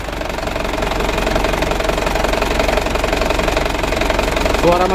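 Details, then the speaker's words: Second-hand Mitsubishi Canter diesel truck at idle: harsh rattly clatter about four beats a second from the left side; mechanic suspects timing gear first, then injection pump camshaft bearing, governor also to check; rough mechanical noise. "sudah sama-sama kita coba dan kita dengar suara mesinnya itu lumayan kasar sumber suaranya itu dari sebelah kiri ya Menurut saya dari gigi timernya itu yang pertama yang kedua bearing dari noken as bospomnya"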